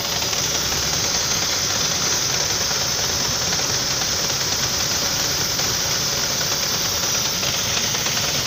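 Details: Saab 9-5 engine knocking after driving through a puddle threw the belt: a fine, fast tapping rides over a hissy idle with no rev change. Internal knock, cause unconfirmed.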